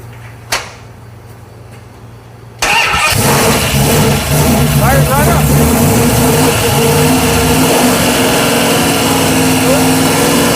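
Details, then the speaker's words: Brief first start of a freshly built 408 cubic inch stroker with hydraulic roller cam and Magnum heads, before the radiator is fitted: cranks, catches at once, settles to a steady even idle with no misses or knocks; normal. "Best fire up ever. I know. Perfect. Everything went like clockwork."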